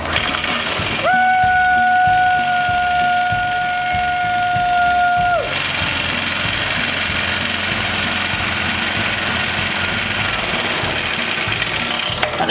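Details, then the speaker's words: English Suffolk Super Colt small single-cylinder engine after restart: steady, even putter with no misses or knocks; running normally. "Woo! Suffolk's engine running!"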